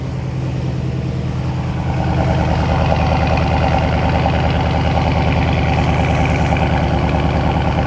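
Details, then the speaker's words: SRT Dodge Charger started after ABS module replacement, coolant noted low; deep, even V8 burble at fast idle just after start, smooth and steady with no knocks or misses, sounds healthy. "Oh, it sounds so lovely."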